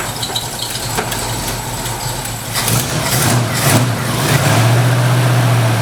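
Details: 1968 Ford Mustang catching and settling into low even rumble after jumping 12 volts to the ignition coil fixed bad voltage; some belt noise owner will tighten; normal running.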